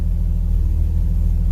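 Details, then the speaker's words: 1963 Chevrolet C10 shortbed, original inline six, cold start at about 50°F: low, even tractor-like rumble at idle with steady pulses, no knocks or misses; running smoothly. "let's fire up that this thing sounds like a tractor"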